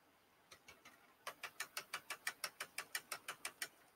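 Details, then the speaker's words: 3D printer Z axis after swapping red and green stepper wires: crisp, even ticking about three per second with no skips or grinding, both Z steppers moving up smoothly and normally. "so now I go to move to Z we're smooth as silk and both of them going up like they're supposed to"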